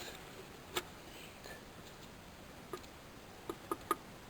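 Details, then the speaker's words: PCV valve, removed from a warm engine, then engine off and valve shaken: a handful of faint light clicks as the check ball rattles freely, so the valve is fine. "can hear it faintly. If you don't hear a rattle, replace it with a new one."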